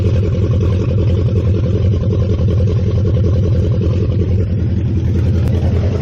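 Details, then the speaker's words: 1969 Mustang V8 first start after sitting, electric choke not yet hooked up, oil burning off the top of the motor. Loud, deep, steady idle with an even rumble, no knocks or misfires; no smoke, good compression. Healthy. "oh my gosh that was loud at least it's not SM oh man this thing still there's a lot of oil on top of the motor that's burning off right now but dang this thing does not smoke can tell has plenty of compression"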